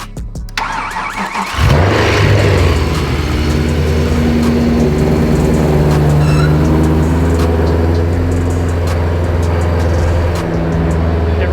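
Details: Supercharged BMW E92 M3 (freshly installed supercharger kit, JB-welded upper radiator hose flange), first start after battery charging and many failed attempts: cranks briefly, catches near two seconds and settles into a loud, steady, even idle with no stumble. Healthy.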